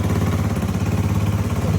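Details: Yamaha Mio 125 MX carbureted scooter, after replacing the failed vacuum fuel cock that caused two months of hard starting: steady, even single-cylinder putter at idle with regular low pulse, no stumbles; idling cleanly.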